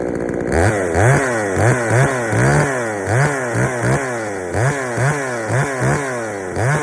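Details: Poulan 3000 chainsaw, brought in not running, serviced with old dirty fuel drained and fresh fuel added; rough surging rhythm, revs rising and sagging about once a second, burbly and sluggish, running a little rich; low-speed mixture to be adjusted.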